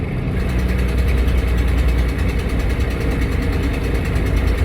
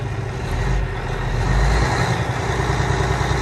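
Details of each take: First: Peterbilt diesel truck, Jake brake on stage 2: heavy rumble with fast sharp puffing tick from an exhaust manifold leak; turbo rebuilt in summer with VGT code, air compressor passing some oil, clutch done last year. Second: Peterbilt 587 diesel truck idling while building air, air gauges at 100: deep even rumble, no knocks or misses, slightly rattly with some vibration; fan clutch working, no blow-by from stack, runs and fires well.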